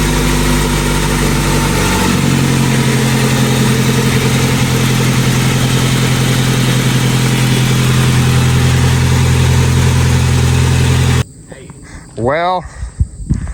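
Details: Honda Civic EK D-series engine, just rebuilt and installed, first start with the cooling system not yet finished: it catches at once and settles into a steady, even idle with no knocks, ticks or misfires.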